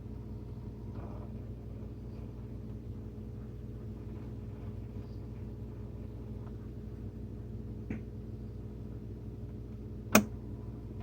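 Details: Whirlpool WSF26C3EXF01 refrigerator: steady hum with a sharp pop from the top about every 12 seconds, day and night, compressor on or off; faulty refrigerator damper control diffuser (air damper), fixed by replacing it.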